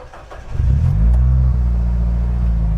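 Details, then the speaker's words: 2008 Nissan Grand Livina automatic: brief crank, engine starts immediately and settles into smooth even idle with no misses or knocks; vibration normal, engine healthy. "langsung nyala ya. Dan mesinnya kayak gini."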